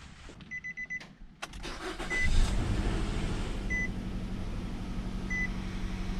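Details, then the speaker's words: Nissan Rogue before ignition coil and spark plug replacement, pending code calling for new coil and plug; door chime, then cranks into a lumpy, stumbling idle with uneven low beat; misfire from faulty coils and plugs. "But I go ahead and start it up for you, and you can hear how it sounds, how it's misfiring, it's not sounding"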